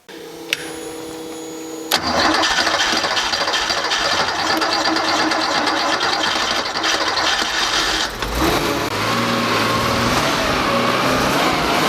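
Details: Freshly rebuilt Porsche engine with CIS fuel injection, first start after the fuel distributor and warm-up regulator work, warming up before mixture reset: starter whirs two seconds, catches into a steady, slightly uneven idle with a faint rattle. Normal start.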